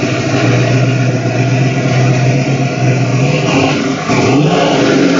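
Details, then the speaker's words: 1970 Ford Mustang Mach 1 351 V8, already warm with the fans on, running a bit rich through two Flowmaster mufflers: loud, deep burble that revs up and settles back cleanly. Normal running. "not a cars a little loud you'll probably see how Big Rich it's running too she's running a bit rich"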